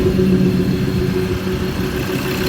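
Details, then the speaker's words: Ford Ranger 3.2L diesel, first start after head gasket repair, intake not fully reassembled: steady deep rumble settling without knocks or misses, a bit noisy while oil pressure builds; smooth, healthy normal idle. "that is beautiful bit noisy because we're waiting on oil pressure to get up but smooth healthy happy"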